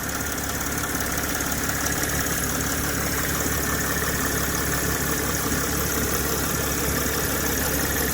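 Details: Mercedes ML320 (W164) that drives OK; revving from idle brings a deep, uneven grumbling noise under the engine roar from the front near the radiator, late in the rev. Source not yet identified.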